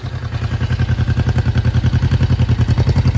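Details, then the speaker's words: 1972 Honda CL350 twin after fine-tuning both carburetors back and forth to balance them: quick, even exhaust pulse with no stumbles or misses, settling into a smooth, steady idle; exhaust pressure feels equal from both pipes. Finding: normal idle. "It's just fine tuning, going back and forth and trying to get all of this stuff balanced out and keeping everything nice and even. All right, guys, I've got a nice steady idle."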